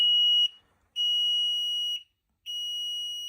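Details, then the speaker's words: Newly installed basement HVAC system (Platinum Gladiator): high shrill beeps about one second long repeating steadily; clearing the alarm leaves a service-needed message, likely a timer reminder; alarm beeping. "Clear alarm. Well, that clears the alarm, but it says service needed."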